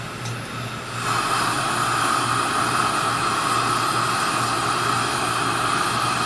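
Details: Older Coleman 502 single-burner stove, which runs on white gas or gasoline and has fewer BTUs and more noise than the 508: steady, even hissing roar with no sputter or surging; burner lit and running properly.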